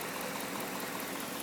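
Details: Pontiac G8 GT at idle: light quick ticking about five times a second, suspected lifter tick, seemingly more noticeable with hood closed; not confirmed.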